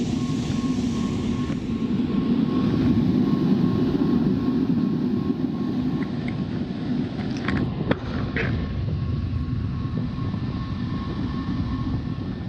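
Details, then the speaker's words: Rooftop (RTU) HVAC blower after remounting the loose blower wheel bearing and pulley mount in newly drilled holes: steady airy rush with faint thin tone; turns evenly with only a slight leftover wobble. "See how much it jumps now. A little still, but at least the blower wheel's attached. They're never 100% smooth."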